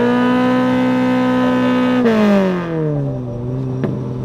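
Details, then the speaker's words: Toyota Corolla manual revved to around 8k rpm while racing, after a clutch pedal adjustment: engine holds a high, steady scream, then revs sag without real pull; the clutch slips as soon as it is revved, with the clutch master adjustment suspected. "Definitely you could hear it slipping then, so whatever I did, definitely got to switch it back and try to figure out where this thing likes to be happy at, because it's definitely slipping hard as soon as I rev it. Yeah, as soon as I rev it, it slips."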